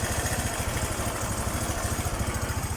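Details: Rusi Gala motorcycle after top overhaul (new piston, piston rings, valve seals for excessive clearance and oil burning; exhaust cleaned): even, steady single-cylinder putter around thirteen beats a second, no misses or knocks, no more white smoke; normal healthy idle.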